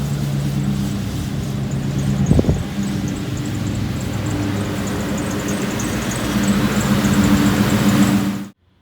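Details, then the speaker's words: 1967 Ford F100 with 4.6 DOHC V8 from a Lincoln Mark 8, first ride: engine running with thin high squeal coming and going over exhaust; squeaky serpentine belt, fixed by replacing belt and tensioner and idler pulley bearings. "After hearing all that squeaky noise, I figured I'd go ahead and change out the bearings and the tensioner pulley and the idler pulley, and also replace the belt."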